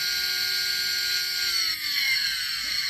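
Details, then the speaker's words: Roomba 980 bin motor after oiling/soaking during disassembly, run out of the robot: thin high electric whine with pitch sagging slowly; motor still runs rough but is far less noisy than before, no longer whining like at first. "Actually, the motor is still working, and that's how it sounds like. It's all messed up like today, but it's actually working as it's way less noisy than it started."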